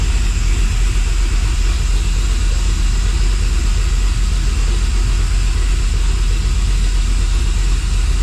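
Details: Dodge Dakota R/T 5.9L Magnum V8, new heads and cam, running after rebuild while fuel sync is set to +4 degrees on a Snap-on scanner, about 1,000 rpm. Deep steady even rumble, no knocking or ticking; healthy normal idle.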